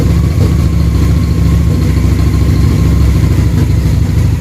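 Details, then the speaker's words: Harley V-twin motorcycle with the idle turned up while synchronizing the cylinders: a lumpy, loping idle beat that comes together but still stumbles now and then. The cylinders are not yet fully in sync. "Listen to that idle come together. Still breaking up a little bit."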